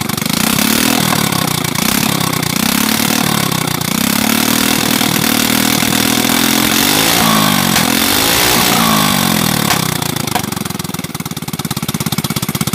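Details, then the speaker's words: Motorcycle run with no exhaust fitted after fixing a faulty ignition grounding wire, long left out in rain and sun: loud raw single-cylinder bark blipped repeatedly, catching cleanly and settling to steady idle; normal running. "Oke jadi langsung saja kita coba hidupkan ya ini nggak ada knalpotnya"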